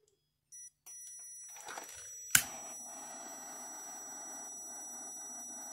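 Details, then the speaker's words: Sunbeam quartz heater thermostatic switch tested with a meter while warmed: beeps, steady continuity tone, then a sharp click as it opens normally. "Did you hear it click off? Now we'll hear it click back on."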